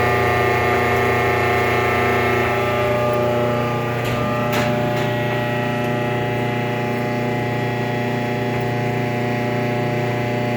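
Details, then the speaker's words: Kenmore 417.83042300 electric dryer, about 15 years old: loud steady squeal and low rumble for the first 30 seconds after start-up, despite new motor, belt, tension pulley, rear drum bearing and felt; afterwards runs quietly; source unknown. "even after all that still makes a horrible noise for the first 30 seconds [Music]"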